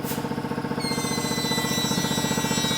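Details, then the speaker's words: Highland Cycles shop: a thin high whining squeak sliding slightly in pitch over a fast regular pulsing noise; sounds like escaping air. Cause unconfirmed. "so you heard it for a second though that whiny squeaky little"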